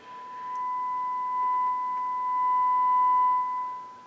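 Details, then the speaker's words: HH Scott R 316 receiver, after a repaired power-amp channel, with a 1 mV test tone fed into the phono input at high volume. A steady, pure tone near 1 kHz with no hum, crackle or distortion on both channels; phono stage working properly. "sounds good on both channels so funnel stage is working great"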